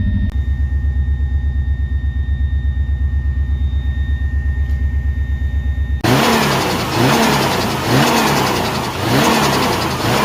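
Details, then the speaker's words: Subaru after a throttle body refit with new gaskets, including a missing one that likely caused an air leak: an even pulsing idle that sits too fast, over 1,000 rpm, then revs swell on throttle; it runs slightly smoother, but the high idle remains. "Made it run a little bit smoother, but unfortunately didn't solve the issue of the idling where it's sitting over 1,000 revs."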